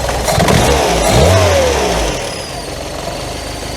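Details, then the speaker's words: Classic carbureted Scirocco that sat for a year, where the mixture screw does nothing: the engine revs on a throttle blip, then drops to a faster, steadier idle. Suspected air leak, with accelerator-pump fuel covering a lean mixture. "Yeah. See, the way the engine's picked up now under blipping the throttle, that's a smoking gun for me that there's an air leak somewhere."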